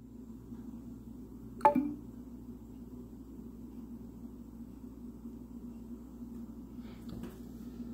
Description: every day between 3:30 am and 4:30 am my home makes this weird noise about every 30 seconds, it stops when you interact with it with voice (tapping on it does not stop it)